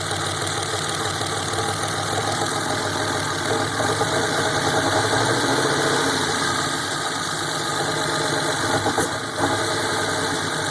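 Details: 1987 Buick T-Type idle holding steady but with an uneven, lumpy pulse and slight stumbles; rough idle, cause not identified.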